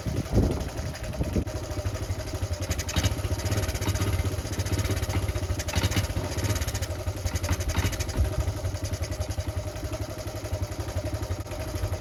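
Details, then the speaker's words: Honda C70 Cub small single under restoration, after an earthing fault at the points was fixed, gives a low, lumpy thump that stumbles and surges at steady throttle, still running like a sick pig; ignition points timed inaccurately. "little way there still R like a sick Pig but I've been on YouTube and I've had a good luck and there's a guy who actually goes through four different methods of timing these up on the points and apparently the way I've done it is just really really inaccurate"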